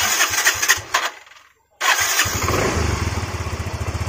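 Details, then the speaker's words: Yamaha Mio Z scooter after repairing and soldering wiring to clear MIL code 37 (3 long, 7 short blinks), code gone: brief cranking, then catches and settles into an even, steady idle with no misfires; normal start. "Oke. Ini langsamnya udah bagus."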